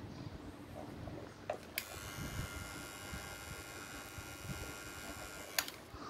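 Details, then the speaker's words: Hitachi cordless drill that would not spin (battery and LED fine), after its control board was replaced: clean, steady high whir for about four seconds, crisp start and stop, no grinding; motor runs normally. "riêng dòng khoan pin bo mạch thay thì không sợ bị cháy hỏng có điều nó chỉ có đúng chiều đảo motor mà thôi"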